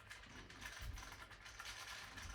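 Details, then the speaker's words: New AIM game controller shaken, recorded on a phone's internal microphone: light, irregular plastic clicking as the cross, circle and square buttons and the D-pad rattle, seemingly loose in the case; rattling buttons. "first of all, we have rattling cross, circle, and square buttons as well as a rattling D-pad."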